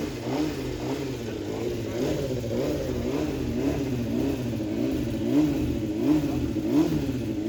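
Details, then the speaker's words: Fuel-injected 2007 Honda CBR600RR, first start after about five years unused, with an aftermarket tuner box still fitted; it is blipped up and down cleanly with no knocks or misfires. Finding: normal running and revving. "So, now that I knew that this bike wasn't just a complete junker and actually ran, I wanted to get this juice box tuner off it."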